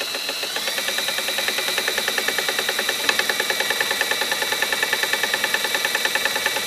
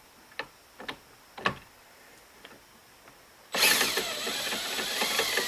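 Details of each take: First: 1958 Gravely LI tractor magneto, spun with a drill on the bench, poor ground: rapid, even, sharp snapping ticks over drill whine; spark firing and arcing, slightly orange. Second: 1958 Gravely LI magneto ignition being tested, engine spun with a drill: sharp crisp snaps of a spark arcing, then loud drill whir.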